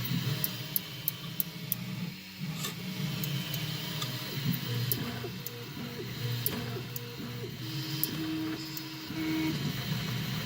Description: Having a slight issue with my x-axis stepper. clicking sound when the extruder moves along the x axis, mostly at specific points, and when moving to the left .